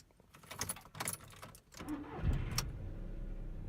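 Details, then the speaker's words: VW Fox/Polo petrol engine after the auxiliary belt squeal fix, a budget repair: belt refitted over the re-tensioned tensioner roller. Brief start with keys jangling; it cranks, catches and settles to a smooth idle with no squeal. "funktioniert wie man höre und staune"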